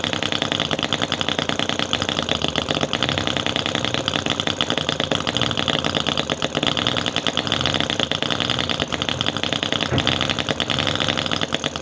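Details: Cison FG-VT9 9cc petrol V-twin model engine, hard to start and tune, finally caught and running; fast sharp crackling beat holding steady with no misses or surging, float now working properly, normal running.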